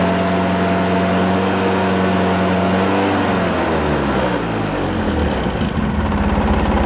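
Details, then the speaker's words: Polaris Sportsman 700 EFI Twin after new RMSTATOR RM01057 stator install: idles evenly about three seconds at 12.5 V, then climbs smoothly to a steady high rev, no stumbles; voltage reaches about 14.4 V, charging system and regulator healthy. "I'm going to fire it up and we'll rev the motor up to 4,000 RPM or so. And we should see the voltage climb upwards of about 14.5."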